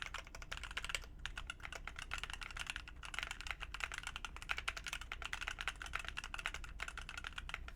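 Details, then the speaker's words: Heavy Phoenix45 keyboard, red aluminum case over brass weight: quick even keystrokes with a muted solid thock and no ringing ping, much better; slight ping possibly from desk. Normal typing sound. "But it sounds much, much better, and it looks awesome. It's a good build."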